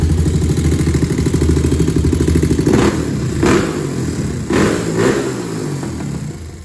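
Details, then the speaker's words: 2001 Honda TRX400 after valve adjustment to spec and carb work: steady thumping single-cylinder idle, then clean throttle blips rising and settling smoothly; sounds healthy, normal idle and revving. "Y'all see the bike sound nice and healthy. Got a nice idle on it."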